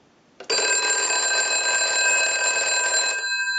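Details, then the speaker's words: British desk telephone after repair and conversion, final checkout with new transmitter installed: clean, bright double-bell ring that starts sharply, holds about three seconds, then stops; ringer healthy. "got a very cool ring to it. We'll let that go a few times. Very unique."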